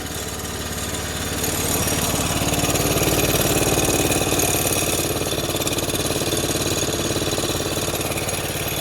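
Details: Arctic Cat F120 with Yamaha 120cc four-stroke, after water in tank, carb cleaning, new fuel line and filter, fresh gas, oil change: little single-cylinder putters at even beat, swelling slightly then settling; smooth healthy idle.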